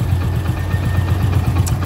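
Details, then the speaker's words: Hero HF Deluxe motorcycle, about 80,000 km, after complete engine rebuild, at idle; steady low thumping with even firing pulses, no extra knocks or rattles, sounds like a new bike: normal idle. "कि जैसे नई bike account होता है वैसा ही आ रहा है कि कोई भी एक्स्ट्रा सामने नहीं है"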